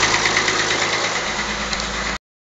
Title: Mazda Mx-6 KLZE Knocking sound